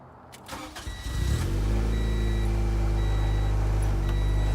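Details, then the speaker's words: Honda Integra DC2 starting after tightening a loose starter with a 17mm socket; short crank, catches at once and settles into a smooth, even idle; normal start and idle. "The car started. Let's end this video off on a good note."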